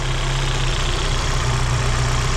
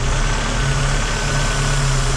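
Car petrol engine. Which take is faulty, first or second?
second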